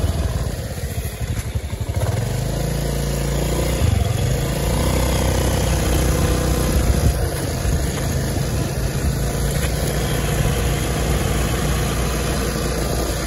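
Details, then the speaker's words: Honda Beat automatic scooter after fixing worn final-drive reduction gears: revs up, holds even idle and steady cruise with no gear whine; normal final drive after repair. "Ini kita videoin lagi nih. Ini udah dibenerin ya rasionya ya."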